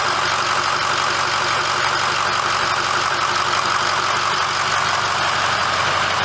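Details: 2006 Ford F350 diesel idling after oil and fuel filter change and air bleeding: steady even clatter with no misses or hunting; normal smooth idle.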